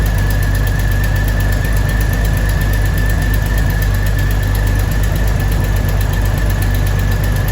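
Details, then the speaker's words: 2000 Jeep Cherokee Sport XJ first start after a new head gasket, thermostat and housing, and valve cover and manifold gaskets (old gasket failed, overheating): heavy low rumble with an uneven, lumpy beat at idle; still running a little rough rather than smooth. "but it's running a little bit rough still so we gotta figure that out"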